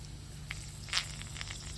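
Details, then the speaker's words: Car rear left tire with a puncture, wheel removed, water on the tread: faint fizzing crackle of air bubbling through water over a low hum; slow puncture air leak before plugging. "if you're not exactly sure where the leak is you can hear it but you can't quite find it"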